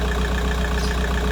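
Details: VW Golf 4 idling cold after replacing the water pipe seal on the cylinder head to fix a coolant leak, no leaks found, left running to reach 90°: smooth, even idle with a steady fast pulse, no knocking, ticking or hissing; normal idle.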